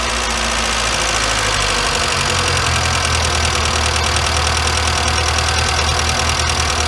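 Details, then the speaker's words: Warm engine with a Weber 38 DGAS carburetor whose idle speed and mixture screws are backed out as a starting point. It gives a high, steady, slightly lumpy idle: idle speed too high and mixture too rich. "so your your idle speed is now too high and your idle mixture is too rich so you know it will start"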